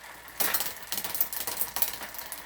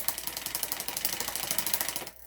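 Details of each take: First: Specialized Hot Rock rear derailleur (new cables, housing, shifter, straightened hanger) after backing off an overset limit: a few light clinks, then a soft, even chain whir with no skipping or grinding. Quiet, smooth drivetrain. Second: Specialized Hot Rock bike with new cables, housing and shifter and a straightened derailleur hanger: loud, rapid ticking while pedaling on the small cog. The rear derailleur high limit is way too loose and the chain is almost jumping off; tightening pushes the derailleur inward.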